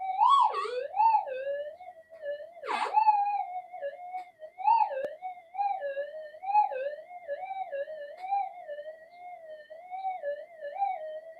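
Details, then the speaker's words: Pulse-induction metal detector on redesigned GPX-5000 upgrade boards, unshielded twisted-pair wiring sitting outside the detector, mono coil running in the room, tracking on: wavering mid-pitched tone with sharp chirps breaking through; interference chirp. "Okay, we got a little bit more chirp coming through, but like I say, it's a mono running in the room."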